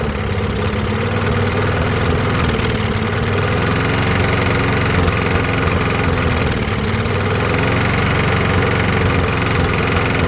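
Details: Briggs & Stratton push mower, about 20–25 years old, after new head gasket: under load, uneven stumbling beat with skipped pulses, down on revs and still missing; before the repair it could only be pushed at a very slow walking speed.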